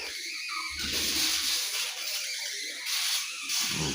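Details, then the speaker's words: 7 L manual engine-oil fluid extractor pump: sharp airy hissing swells with each pump stroke as air is sucked in near the top of the tank; vacuum leak there, tightening did not stop it. "Okey dengar dengar bunyi ling angin masuk. Sepatutnya kalau kedap udara dia takkan bunyi macam ni."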